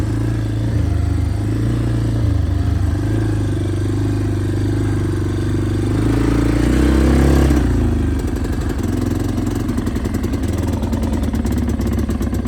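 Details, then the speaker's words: Yamaha Big Bear 350 ATV: revs then drops to a lumpy, stumbling idle, super boggy; air filter ruled out as a restriction; owner suspects carburettor problems. "ah so as you guys saw in the last clip on this thing it is super boggy and now the only other test I did was I did pull the air filter that is not a cause of our restriction"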